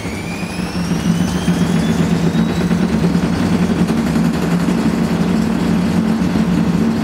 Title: Old Hotpoint AQUARIUS 6kg WMA58 Washing Machine Spinning with very Bad Bearings